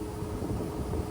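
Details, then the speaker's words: Fog Hashing C6 dry air cooler (pre-May batch, no AC/FC mode): fan kicks in when the coolant warms, every 30 seconds to a minute, with a steady low roar and a sharp rising surge, far too loud; fan start-up surge noise. "right I hope you guys heard this noise so that's how it annoying uh sometimes comes in and if it's in the middle of night every minute you kick this sound that just kind of annoying"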